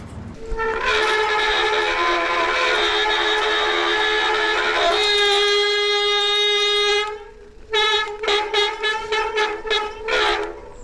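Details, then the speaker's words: Nukeproof Giga 290 mountain bike, rear disc brake with no power and not grabbing; loud steady howl with a ringing tone, pulsing about four times a second as the wheel turns. Disc brake squeal, cause not confirmed. "The brakes are making a horrendous noise, the rear one in particular, and no power, not grabbing at all."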